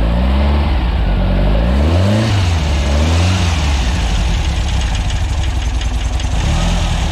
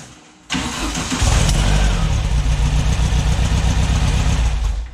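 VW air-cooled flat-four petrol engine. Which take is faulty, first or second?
second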